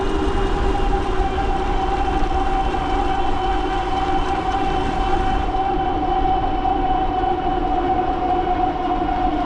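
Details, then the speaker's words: Bafang G900 750 W hub-motor e-bike on a Flipsky controller, 60 V 16s3p battery at 22 A, climbing a hill in eighth gear: steady high whine over wind, pitch sagging; the motor is straining and getting hot. "Oh, you can hear it struggling there a little bit. We're still moving though."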